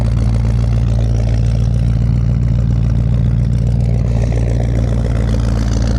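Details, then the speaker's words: 1940 Mercury V8 first start with new 4-barrel carburetor and intake manifold, about -1 degree cold: deep steady low idle, even rumble, no stumbles; no apparent fuel leak, stiff gas pedal; normal idle. "Doesn't appear to be leaking. Sounds pretty good, man. The gas pedal's super stiff. My return springs are factory style return springs, but sounds good idling."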